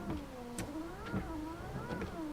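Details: Windscreen wipers on normal speed with the ignition on, after a WD-40 attempt: the motor whirs up and down once a second, even; the wipers run but don't self-park, and the body control module is suspected.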